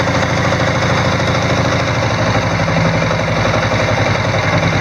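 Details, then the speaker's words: Diesel Sears mudding tractor (riding mower) after an alternator install, glow plug hit: steady, even diesel idle with a low chug and no knocks or misses. The alternator is charging, with the battery going from 12.4 to about 13.1 volts. "so I'm going to hit the glow plug and see if we can hear the alternator bogging the engine a little bit"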